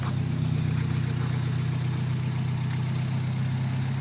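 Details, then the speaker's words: 1994 Toyota pickup 22RE engine after valve adjustment: smooth, steady low idle with less chatter and less ticking, mainly bed vibration; valves now quiet. "and there's not as much chatter, and there's not as much of a tick anymore."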